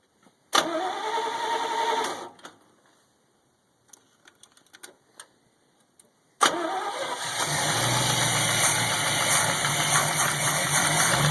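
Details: Chevy 283 V8 cold start at about 40°F ambient: cranks and catches, then a quick regular tick of three or four per second over the cold idle that fades after 1-2 minutes; owner suspects piston slap, unconfirmed.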